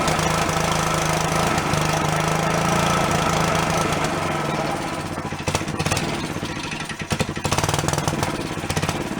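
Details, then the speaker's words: Long-stored Yerfdog go-kart single-cylinder, now running on its own without thumb-choking: fast, slightly uneven idle but keeps running; owner thinks a blocked passage or vent suddenly cleared. "I don't know what fixed it all of a sudden just kind of pulled through and it started going on its own for me thumbing it"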